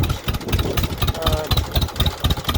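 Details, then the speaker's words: John Deere MT tractor after setting governor linkage then carburetor, idle screws turned up slightly: regular low chuffing at settled slow idle, no surging to wide open as before; normal idle. "i just have the auto screws just turned up a little bit but uh that's about as slow as i want to"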